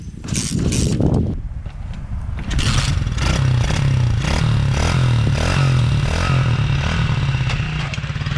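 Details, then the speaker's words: Tao Tao DB-14 pit bike, fuel left in long: starter churns in uneven bursts, three to four per second, engine never catches; cranks but won't start, owner suspects carburetor full of gunk from old fuel. "I'm trying to start it for you but it's most likely not gonna start that's just because the carburetors full of gunk because there's been fuel left in here for so long and California fuel is kind of janky"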